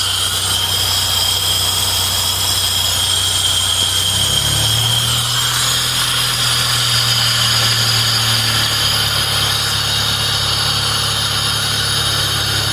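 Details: Owner suspects a bad fuel pump: a steady high-pitched whine sits over the running engine while the engine note shifts partway through; the whine's source is unconfirmed.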